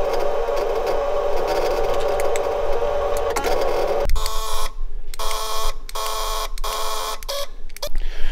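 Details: VW Golf 3 power window: short bursts of electric motor whirring as the switch is pressed, but the glass never rises or lowers.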